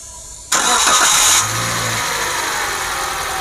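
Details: Toyota Grand New Avanza 1NR-VE engine restarted after repair: starter whirs, engine settles into a smooth, even idle, and the earlier odd noise is gone, so its source was outside the engine, possibly the idler pulley. Normal idle.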